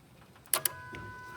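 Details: 2005 Jeep Liberty Renegade 3.7 with a manual gearbox and a no-crank, no-start fault: a jumper is fed to the 20 A fuse 24, giving two sharp relay clicks and then a steady hum as the fuel pump primes. The fault was traced to a broken wire 29 feeding the computer.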